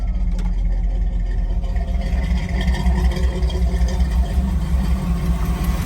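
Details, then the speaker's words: 1978 Chevrolet K10 4x4, 350 V8 automatic with headers, Edelbrock intake and carburetor, exhaust exiting in front of the tires: deep, steady, loud idle burble with no knocks or ticks; normal V8 idle. "runs nice got headers on it got exhaust comes out right in front of the tires"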